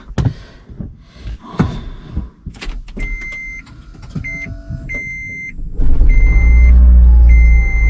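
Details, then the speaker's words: 2013 Toyota Prius v after head gasket replacement: clicks, then engine catches and settles into steady low hum under warning chimes; runs continuously without problems, though traction control and check engine lights on. "Engine එක හොඳට දුවනවා කිසිම ප්‍රශ්නයක් නැහැ. කන්ටිනියස්ලි දුවනවා."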